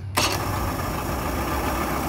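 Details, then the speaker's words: Mercury 125 outboard, carbureted, after the stuck needle in the number two idle-mixture carburetor was freed and cleaned: quick warm hot restart, then even, steady idle around 1,000 rpm by tachometer, no misses or hunting; running right. "that's a hot restart that means the engine's warmed up and it's idling good idle rpms are according to the attack is about a thousand rpms"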